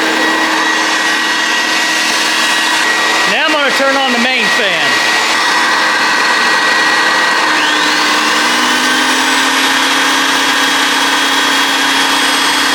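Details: Homemade turbine paint sprayer built from vacuum cleaner motors: steady high-pitched whir of the vacuum-motor fans holding a constant speed throughout; turbine running normally.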